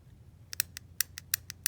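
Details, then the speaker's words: Honda Odyssey with P0740 code and TCS light, hard 1st-2nd shifting: shift solenoid bench-tested on a small 12 V battery gives light, sharp ticks in quick pairs with little body; plunger isn't pulling in fully, even less than the previous one, so the solenoid is weak. "And that one sounds like it's even less fully engaging."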